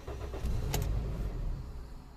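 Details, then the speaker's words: Toyota Yaris 1.3 with code P1310, immobilizer already repaired: engine catches with a brief burst then dies within about a second; fault traced to tampered ECU wiring. "it starts but it shuts down pretty much freeway okay and no is not the immobilizer because with the the immobilizer active the car doesn't even fire up"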